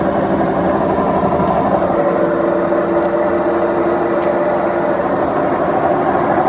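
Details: Beko washing machine, 7 years 8 months old, drum spinning; loud steady rumbling roar with droning hum from worn drum bearings; machine to be replaced.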